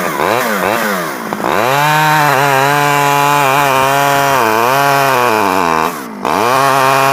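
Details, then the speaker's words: Stihl 011AV chainsaw after a carburetor rebuild and with the coil wire to the spark plug taken apart and refitted: it revs up and eases back with a clean, even buzz, picking up smartly; normal running. "I think that I was having some issues with the um the coil wire here going to the spark plug I took it off and took it apart and put it back on and it seems to run better"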